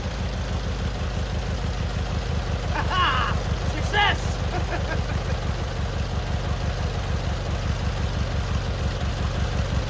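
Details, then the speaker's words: Free abandoned lawn mower of unknown history, engine turned over by flywheel and oil checked before first start: small twin fires up and settles into a steady, even idle with no misses or knocks; normal idle after resurrection. "success all right so we got it to fire up and run and idle and do all the things we needed to do"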